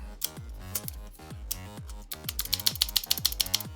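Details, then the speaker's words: Cheap AliExpress TKL keyboard with Blue Alps switches and an LFK PCB and plate, before modding: quick keystrokes, each a sharp click followed by a loose ringing rattle from rattly switches and stabilizers. "You can hear a lot of rattle. I'll even pause the music, right? So that's super rattly, but we will reduce that coming up."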